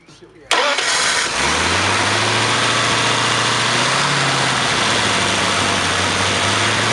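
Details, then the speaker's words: Flathead 59L display engine cranked by a new gear-reduction starter, more powerful than the old one; fast, high-pitched whirring crank that spins the engine quickly and evenly, sounding like a Toyota rather than a flathead starter; normal starter cranking. "So if you can get over the fact that it sounds like a Toyota, these are absolutely fabulous starters. Much more power than the old starter. Really gets you spinning, really gets it going really fast."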